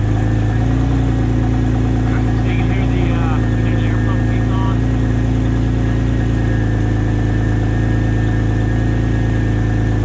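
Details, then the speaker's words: Turbo X50 cold start after sitting two to three days: steady cold idle with a constant whirring hum over the engine from the secondary air pump running on cold start. "all right guys we're going to go ahead and do the uh cold start here on the turbo probably about I would say uh definitely two maybe three days since I started it"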